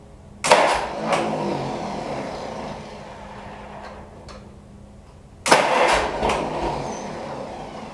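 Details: Troubled Pony tractor engine: it catches and runs roughly for a few seconds, fades out, then catches again; starts but won't keep running, cause unclear.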